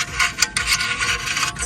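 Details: Toyota GR Supra rotor spun by hand with the wheel off: dry, high-pitched rasping squeaks that come and go as it turns, caused by a gravel pebble trapped between the brake rotor and the dust shield.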